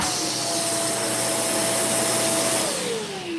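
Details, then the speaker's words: Vacuum with the hose reattached and the wand taken off, narrowing down a suction problem: an even high whine with strong rushing air, then the pitch slides down at switch-off. Suction is normal in this setup. "Next, I'm going to reattach my hose and I'm going to take off this swan right here. Okay. And let's try it again. You got suction."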